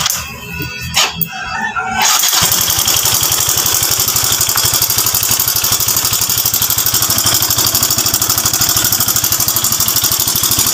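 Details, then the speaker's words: Yamaha Mio i 125 scooter idling with a fast, cricket-like metallic ticking: slack timing chain, likely from a failed tensioner that sprang loose; fix starts by removing the cylinder head cover. "so ang issue po niya nandon lang sa timing chain so Yung kanyang tensioner eh Marahil po umigkas na po yan"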